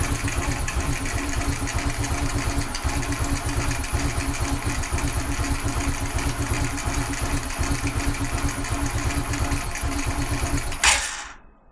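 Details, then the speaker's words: Carbureted G-Moto Cross X Pro moped at 1,700 km, tank drained for a fuel-consumption test: uneven, lazy idle that won't take throttle, then chokes and dies from fuel starvation as it runs out of petrol. "Bien commencé tout à coup pénurie alimenter tout, les gars, tout sauf l'essence"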